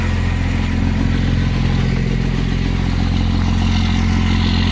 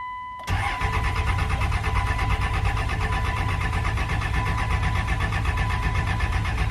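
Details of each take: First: 1999 24-valve Cummins diesel, first start after sitting 2+ years, injector lines cracked to bleed: even diesel clatter at about three beats a second with a steady low drone and no misses. Good oil pressure and a little blue smoke; a healthy idle. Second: 1999 24-valve Cummins diesel, sitting for 2 years, with injector lines cracked to bleed and poor battery connections: the starter cranks steadily for about six seconds with no firing. Crank no start, fuel not primed.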